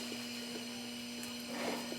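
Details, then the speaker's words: 1955 Buick front wheel, bearings repacked and adjusted, spun by hand with no engine running: light continuous scraping as the brake drum drags on the shoe. "And what you hear there is the brake drum dragging on the shoe."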